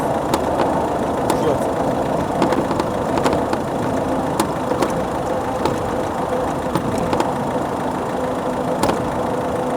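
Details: Metallic crackling and creaking over bumps on a rough road from the front left strut top of a 2006 Mazda 3 1.6 diesel; strut and support bearing already replaced, outer and inner CV joints not new and suspected but doubted.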